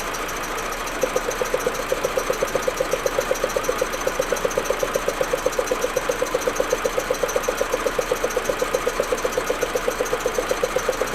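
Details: Audi A4 1.8T at cold idle: lumpy pulsing beat about 160 per minute, stuttering; smooth once warm. Plugs, coils, ignition amplifier and vacuum hoses replaced; owner suspects injectors or carbon buildup, misfire cause unknown.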